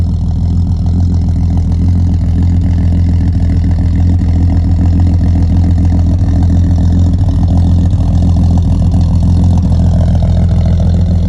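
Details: Ford XC Falcon wagon six, mechanically rebuilt with new hoses, belts, gaskets, starter and alternator, burns a little oil, just started: deep even idle, steady low beat, no knocks or misses: healthy.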